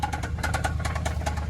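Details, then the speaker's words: Jeep V8 at idle, losing power: sharp, rapid ticking about eight or nine per second; owner assumes a worn camshaft, which a shop said needs replacing, cause unconfirmed. "so let me show y'all the noise that your car will make when your camshaft is worn out"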